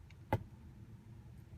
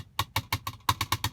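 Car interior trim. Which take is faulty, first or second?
second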